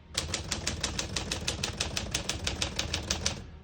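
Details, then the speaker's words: Serviced 1950 Smith-Corona Silent portable typewriter on single line spacing: crisp, even key strikes about five per second, each landing cleanly with no skips or sticking; all keys working normally. "As you can see, all the keys type nice and none of them skip or stick."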